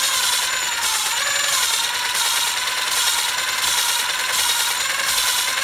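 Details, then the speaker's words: Hand lapping a valve on 062 Vortec small-block Chevy heads: gritty, high-pitched scraping rising and falling with each back-and-forth stroke, about 42 a minute, as fresh compound cuts, growing finer as it works. "when I first started with fresh compound you could hear the grit working you could hear the audible sound of it working really well and as you go it works finer and finer and finer"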